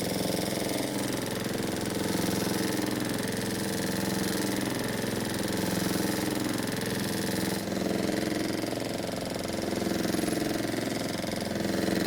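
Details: Honda walk-behind mower run low on oil: heavy uneven knock about three per second over a rough engine note; flywheel shows contact marks, bent crankshaft from oil starvation.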